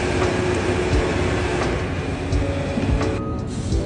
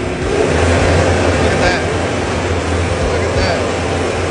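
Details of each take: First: JLG 660 engine-powered boom lift with no high speed or high idle: engine holds a steady low drone and never picks up when high speed is selected; limit switches checked good, faulty speed selector switch suspected. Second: JLG 660 engine-driven boom lift running with the selector switch bypassed by jumper wires, foot switch pressed in drive: a steady, fast, even drone, then easing down. High idle works normally, showing the faulty toggle switch caused the no-high-speed complaint.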